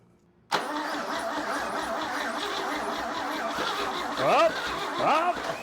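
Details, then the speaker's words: Chevy 235 inline-6 from a 1961 Apache pickup, sold as recently rebuilt, with the carburetor refitted: cranks with uneven firing that catches briefly and sputters without settling. It is nearly starting, and a crankcase vapor ignition incident follows. "Oh, that must have been it. That must have been the issue. Oh man, we're so close. Come on. You know you want to."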